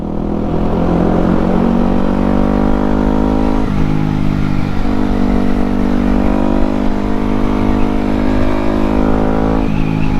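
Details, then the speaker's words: Yamaha WR250X supermoto after fixing full-throttle cutting out (not the spark plug; owner thinks a fuel line kink since purchase): single cylinder pulls cleanly through the revs, even firing, steady climb, no stumbling or misfire; runs as it should. "so so so much better this is how it was supposed to run and I don't know if it's actually ever ran that's good"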